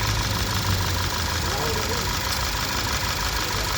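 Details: Skoda Superb petrol engine, after cleaning out oil leaking from tappet-cover seals into the plug wells that caused a cylinder 1 misfire (P0301): steady, even idle, smooth low rumble, no skipped beats, running cleanly on all cylinders.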